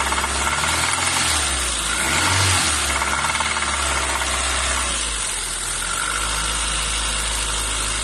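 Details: Renault Twingo 1 phase 2, cold engine: idle with uneven, rattly clatter over a hissy background, easing slightly after a few seconds; unexplained cold-start engine noise.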